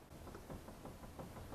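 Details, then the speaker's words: Front wheel of a 2004 PT Cruiser rocked by hand, giving light clunks about five or six a second. The wheel moves while the caliper stays anchored to the spindle, so this is play in a worn front wheel bearing. The car had a rough, choppy helicopter-like drone, worse when braking into corners. "but if there's actual play in the bearing just the wheels going to move and that brake caliper there is going to be anchored to the spindle so it's not moving"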